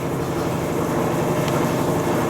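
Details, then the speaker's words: Brastemp washing machine that made a strange noise spinning with clothes, after repair (a missing small screw replaced): steady even whoosh and low hum at full spin speed, no knocking. "agora pegou velocidade tá"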